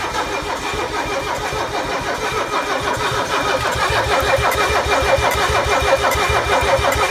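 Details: Mercedes OM617 diesel with newly installed glow plugs: steady starter cranking at about seventy-five compressions a minute, no catch or firing; cranks but won't start.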